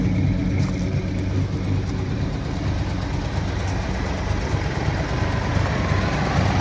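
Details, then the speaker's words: 1973 Ford Gran Torino Sport, 351 Cleveland V8 sat 35 years, no fuel pump, carburetor bowl kept full by squeezing fuel in, idle turned down: steady, slightly lumpy even rumble with no knocks or misses; normal idle. "Didn't really have any tools to mess around, so It actually sounds like it runs not too bad."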